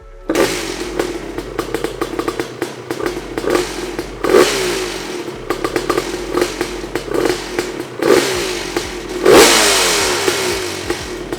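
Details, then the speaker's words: Honda CR250 two-stroke dirt bike rebuild, first start, idling and blipping with a loose metallic clatter; engine mounts still loose, bolts loose all over, rattle also around silencier and unmounted radiator bracket. "alors j'ai réalisé que mes supports de moteur sont encore lâche euh une solive d'avoir une moitié mettre ensemble dirtbike cette chose est un rattletrap frickin obtenu des boulons lâche partout"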